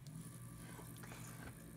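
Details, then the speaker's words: Pellet stove auger gear motor, 2 RPM with a sealed shaft, running on a test board. Low steady hum with no knocking or grinding, quieter than the two other motors compared: normal running. "and you can hear it just making some noise but compared to the other two it's pretty quiet so let's listen more it's just humming away"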